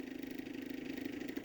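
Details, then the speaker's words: Magnavox ZV427MG9A on a variac at about 125 V: steady fast-pulsing whir with a hum around a few hundred hertz; cooling fan noisy on its own, not from anything touching it. "he is correct the fan is noisy and no it's not because something's touching the fan it's just a noisy fan"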